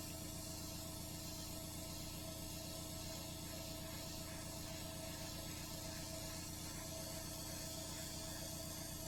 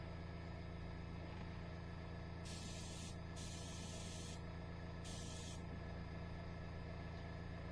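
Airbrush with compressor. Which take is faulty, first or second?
second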